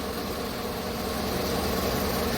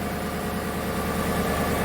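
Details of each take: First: 2015 Chevrolet Tahoe with prior P0300 misfire, after full cleaning and new spark plugs with gap opened slightly: steady, even idle with a smooth unbroken beat, no stumbles; running clean on all cylinders. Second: 2015 Chevrolet Tahoe V8 at cold idle, code P0300: steady hum with faint irregular stumbles from random misfires across cylinders, mostly cylinder 1, blamed on spark plugs after previous cleaning and plug change.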